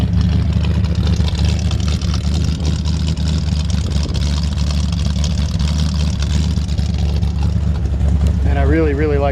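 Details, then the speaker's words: 1955 Ford F100 with late-60s 302 V8 and C4 automatic, driving in reverse: deep, even V8 burble with steady low rumble, no knocks or misses; normal, healthy-sounding engine. "reverse works good I'm me doing it in reverse right now just got a really great sounding engine"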